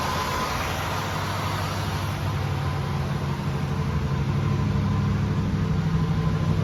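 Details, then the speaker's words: 1976 Oldsmobile Cutlass Salon, original V8 with about 54,000 miles and many gaskets replaced last winter, cold start after 24 hours: smooth, even low rumble at raised fast idle, steady and slightly fuller; healthy, runs like a kitten. "Guess I'll do a quick walk around so you can hear it run. It's kind of on the fast idle circuit, I think, right now."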